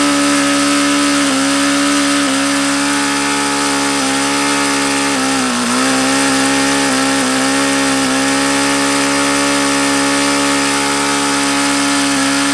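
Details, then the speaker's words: HP VT 21 rotary-valve four-stroke model engine: a high, steady buzzing idle with slight waver and dips at the lowest idle reached. The owner says the low end is still rich and was leaning the low-speed mixture. Cause not confirmed. "that was as low as I could ever think I've gotten it to idle see I could get it to go lower as long as I kept an eye on there"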